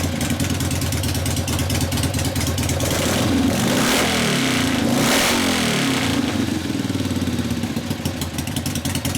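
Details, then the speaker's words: 1970 Harley-Davidson XLCH Ironhead Sportster bobber, kickstart, after test drive: lumpy V-twin beat rising and falling cleanly through blips, no knocks or misses; normal running, low-speed carb circuit leaned out after warm-up. "sounds nice huh that concludes our test drive that sounds nice"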